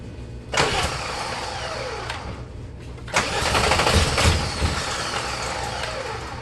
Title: GTI VR6 crank no start